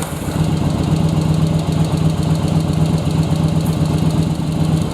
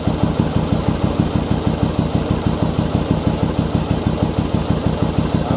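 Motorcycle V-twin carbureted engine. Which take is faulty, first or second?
second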